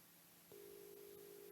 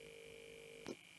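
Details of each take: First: So let's put filter 3 in, which is this one. I'll put the link on first so you can hear the buzzing. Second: Home-built vocoder routed through a sound card with filter boards 3, 4, 11 and 12 not plugged in: steady thin buzzing tone with high whine above, cut off by a click; buzz from the unplugged filter channels.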